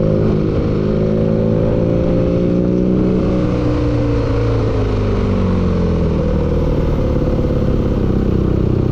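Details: Engine revs rising and falling with a clattery knock under the drone that follows the revs; knock inside the engine.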